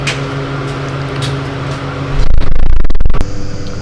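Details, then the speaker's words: Clarkson tool and cutter grinder motor run alone with belt removed: steady hum with low rough rumble underneath, then handling noise; confirmed motor bearing noise. "listen to the motor on its own I just took the belt off did that and confirmed that yes it is bearing noise"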